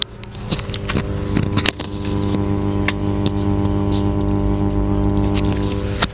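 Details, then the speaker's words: Class H power amplifier: steady low mains hum with overtones and a few handling clicks, hum rises and falls with the volume setting; fault traced to the amplifier with burnt components. "otomatis permasalahan bisa dari instalasi kabel menjadi sahabat-sahabat bisa dengarkan untuk suara dengung Hanya seperti ini"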